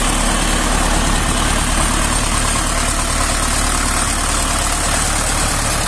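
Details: Tractor diesel at idle after head rebuild fixing a blown head gasket that pushed compression into the cooling system; low, even throb with no knocks, misses or hiss, coolant no longer rising, pressure 5.5 at 1200 rpm; healthy.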